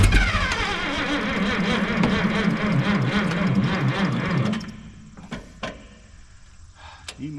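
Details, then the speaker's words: Minneapolis-Moline G900 LP tractor after a different coil was fitted: the starter cranks at about 220 beats a minute for nearly five seconds without starting, then stops as the battery dies. Fuel problem suspected; a birds' nest later found to be the cause. "at least we got a fire that time now we don't have battery"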